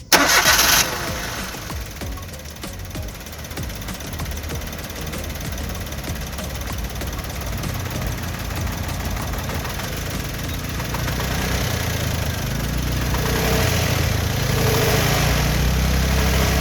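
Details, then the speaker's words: 3-cylinder petrol car with one spark plug wire disconnected to disable a cylinder: it cranks, catches and settles into an uneven, lumpy idle with more vibration and a lag on acceleration, simulating a spark plug misfire. "അപ്പോൾ അവിടെ ഒരു സിലിണ്ടറിനെ പ്രവർത്തനരഹിതമാക്കിയപ്പം, അല്ലെങ്കിൽ ഒരു spark plug complaint ആയപ്പോൾ വാഹനത്തിന് അല്പം ഒരു vibration കൂടിയതുപോലെ തോന്നിക്കുന്നുണ്ടല്ലേ."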